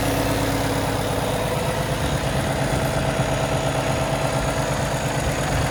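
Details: 2017 Kenworth T680, Cummins ISX diesel, automatic, 577 miles, checked at idle for leaks and fan hub: deep steady idle with even low rumble, no knocks or misses; healthy.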